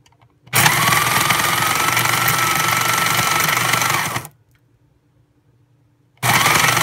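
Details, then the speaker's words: Breville Smart Grinder Pro grinding beans after a rock went through it: about three and a half seconds of harsh, gritty grinding with a steady whine on top; burrs likely damaged by the rock. "okay still doesn't sound good which is how it's sounded ever since we initially got the rock in there"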